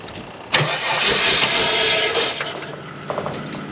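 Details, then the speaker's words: Holden VS Commodore ute (Sydney 2000 Olympic model), fuel warning showing: cranks, catches with a racy exhaust bark, then runs rough, stumbling and fading; engine struggling to run. "Fairly racy exhaust by the sound of that. Struggling a little."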